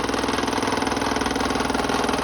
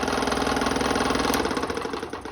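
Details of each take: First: 30-year-old Delta P-20 scroll saw, salvaged and restored with a new blade, running on cardboard and not mounted down: a fast, steady, even reciprocating buzz with some table vibration. No knocking or scraping; it runs smoothly. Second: Restored 30-year-old Delta P-20 scroll saw running with a fast, even stroking hum and buzzy rattle each stroke; table vibration, likely because it sits unmounted on cardboard, not bolted down.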